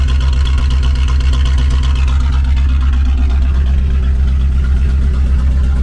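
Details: Just-bought Chevrolet Corvette C4 V8 at idle and light throttle: a deep, loud, raspy burble with a strong low pulse, an open exhaust note because the rear mufflers are missing.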